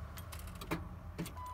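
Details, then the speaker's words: 2000 Ford F250 with a good battery: two sharp clicks from the starter about half a second apart over a low hum, no cranking; starter clicks but won't crank, suspected stuck or bad starter. "can hear this clicking sound that's coming from the starter"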